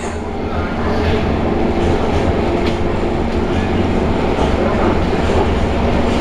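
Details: C151 train cars 093/094 running from Choa Chu Kang to Yew Tee, recorded from inside: over the running rumble and rail clatter, a rough continuous grinding noise is still present under car 3093.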